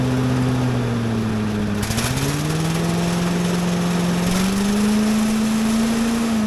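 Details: Little Wonder leaf blower with a small single-cylinder Briggs and Stratton engine, choked with a little throttle: it settles into a steady buzz whose pitch climbs smoothly as the throttle opens, with only mild shaking. Normal running.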